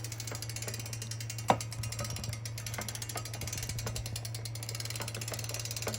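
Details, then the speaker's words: Super73 ZX electric bike: low motor hum with scattered, uneven mechanical clicks and one sharp snap; owner suspects the bearings are going, source not confirmed. "but yeah it definitely sounds like the bearings are going"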